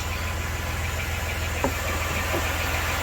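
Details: 1993 Dodge Grand Caravan LE, about 166,357 miles, on ramps after a new water pump, idler, tensioner, belts and coolant: a steady quiet even idle with no growl or squeal from the belt pulleys, healthy.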